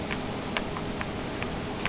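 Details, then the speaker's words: YetiSnowMX snowbike jack shaft: sharp, light, irregular clicks about every half second with nothing running. The drive sprocket rocks on worn shaft splines, and the clacking is amplified in the tunnel. "This has a play. That little bit of noise, guys, amplifying in that tunnel made it sound like the thing was going to fall apart on me."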